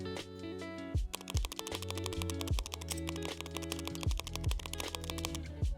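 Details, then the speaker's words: Mechanical keyboard with poorly tuned, unlubricated stabilizers: irregular clacky keystrokes with a loud hollow rattle on the space bar, backspace and enter keys. "If you are not just turned well or not looped, they will rattling like the crazy and it sounds like this."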